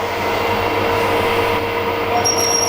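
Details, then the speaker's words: 10 mm tapping drill for an M12x1.75 thread in an INT30 face mill adaptor on an HS260: a steady high screech with shrill tones as it hits a hard spot. The drill is chattering and making heat; coolant is considered. "it doesn't sound good for tapping does [Music] it it's going but my goodness it's creting a lot of heat I think I might put the coolant on this"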